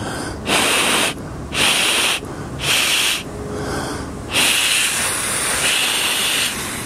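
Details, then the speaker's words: Winnebago Lesharo (Renault-based van), parked: blowing over the opening window's small metal flange gives breathy bursts with thin high whistle/buzz, demonstrating how it resonates at highway speed; fix is sealing it with black electrical tape. "see the difference oh there's a the high pitch buzz from the air going over the window flange"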